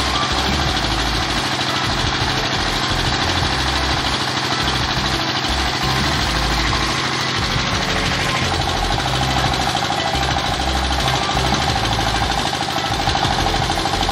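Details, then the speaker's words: Single-cylinder S-1100 16 HP diesel for well drilling, test run after service and reassembly for surging, poor throttle response and stalling. Steady, even chug with no misses or hunting. Now stable and powerful: normal running. "Oke, teman-teman Diesel, sekarang sudah memasuki tahap pengujian dan suaranya sudah mulai stabil dan bertenaga."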